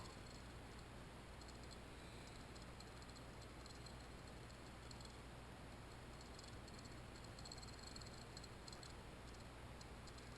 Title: Toilet Water fill valve making noise - replacement (FIXED - no more noise)